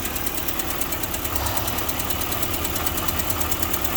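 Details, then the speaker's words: Car at about 120,865 miles just after new motor mounts fitted, radiator leaking: steady idle with fast light tick about three per second on top of the engine; owner suspects right-side valve or lifter, unconfirmed. "You can hear that. It's this right side lifter, or right side injector. No, not injector. The valve. Yeah, there we go. The right side valve is making a noise, but is what it is."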